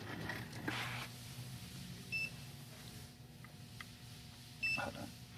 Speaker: if it starts beeping in their pocket there's a low tire now everything is okay listen to this it beeps in the pocket the tire tech looks and it says low tire